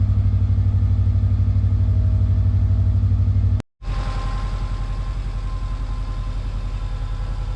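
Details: Subaru Legacy that had developed a bad knock heard inside while driving: even steady idle pulse about four beats a second, cuts out briefly then settles again, no obvious knock on top.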